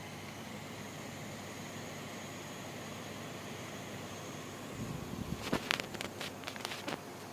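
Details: High-pitched coil whine from a brand-new GTX 780 Ti ACX graphics card under gaming load: a thin, steady whine over soft fan hiss, with clicking near the end; cause suspected, not confirmed.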